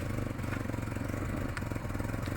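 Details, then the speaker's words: Chevrolet Aveo petrol, complaint of rpm rising and falling at start: steady even idle near 1500 rpm; throttle pedal stop screw apparently adjusted by mechanic, TPS 13.121 and fuel trim -39 not OK; readjust throttle. "Throttle பெடலில் வந்து பார்த்தீங்கன்னா கொஞ்சம் adjust பண்ணியிருக்காங்க போல இருக்குது. அதான் 1500 RPM ஓடுது."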